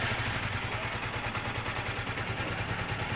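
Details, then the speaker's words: Yamaha R15 with stuttering problem, running on its old regulator rectifier: small single idles with a fast, uneven patter swelling and dipping without throttle; surging idle caused by the faulty regulator rectifier (voltage reading 17–18 versus 14 with the good unit). "Lihat, mesinnya bergetar karena kita menggunakan mesin yang lama. Ini sedang melonjak, teman-teman."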